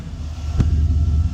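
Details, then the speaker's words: 2002 Chevy Silverado 2500 HD 4WD, 6.0 Vortec V8, after alternator replacement for bearing noise: deep, smooth idle with no whine or grinding from the front of the engine; charging side sounds quiet and healthy. "I might pick up a belt just in case if I ever throw that one, but sounds way better than that old one."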